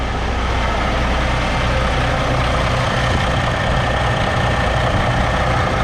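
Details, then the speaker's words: 2022 Kenworth W990 log truck, Cummins X-15 diesel, about 19,000 miles, idling after fuel filter change: deep even rumble with no misses or knocks, no leaks; healthy normal idle. "But yeah, everything seems to be okay. Maybe we'll bump the idle up here just for a second, and yeah, it seems to be going okay, so I think we're good."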